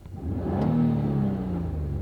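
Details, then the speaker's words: Petrol car with a cold air intake and exhaust change, air-fuel ratio code set: engine starts and runs fine, but revving brings faint pop-pop-pop, mixture needing computer reset/adjustment rather than sensor replacement. "Now as you rev the engine up, you can hear a little popping because of the cold air intake and the exhaust change."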